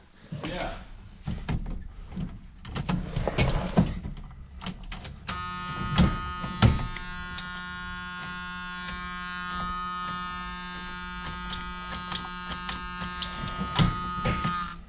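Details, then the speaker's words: Retired M1009 CUCV military Chevy K5 Blazer diesel, sat over two decades, first start attempt: steady electrical buzz of rapidly chattering starter solenoid, engine never cranks; power present, starter problem suspected, not confirmed. "do you hear the starter solonoid [Music] clicking well there's power that should be the uh that I think is the starter Sol line"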